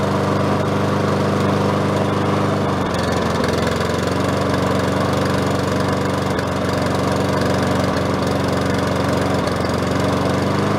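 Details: Craftsman self-propelled mower engine, started with choke on after auto-choke lubricated and control cable replaced: loud run with slight rise and fall every few seconds; surging at idle, carb cleaning planned next.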